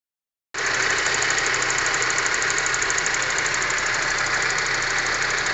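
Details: Honda Civic 4-door engine with a tapping knock, roughly three per second, over the idle and little low rumble. Internal engine knock, cause undetermined.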